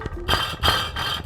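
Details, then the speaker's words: Nissan 350Z with a new Y-pipe makes a tinny metallic rattle about three times a second over a rough cold-start idle, quieter once driving and warm, from a loose baffle in the driver-side test pipe. "so that that's what I'm hearing every time I start my car up like I I can't do it it it gets uh a little bit quieter as uh as I'm driving and as it warms up and everything"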